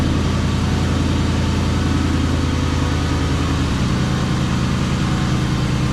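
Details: 1996 Mustang GT V8 just fired up after new spark plugs, wires and coil packs: deep, steady burble with an even beat and no misses or ticks; smooth, healthy idle.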